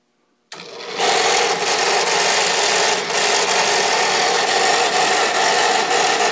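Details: South Bend drill press running just after its spindle and pulley bearings were replaced: a loud, harsh, rasping roar that stays steady at speed with a faint rapid flutter. This is major noise, cause unknown.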